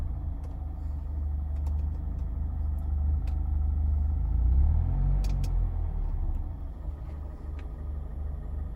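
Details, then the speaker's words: 2019 Mazda Miata ND2 in limp mode with smart city brake malfunction warning, idling with no pedal input: low rumble swells and sags over several seconds; idle surging repeatedly, cause undetermined. "The idle is just surging over and over."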